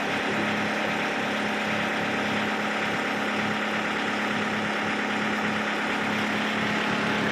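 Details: Kubota MU5702 tractor steady, even diesel idle with a smooth low drone, no knocks, misses or surging, after replacing the hydraulic lift control unit to fix a jerking rear hitch; engine healthy.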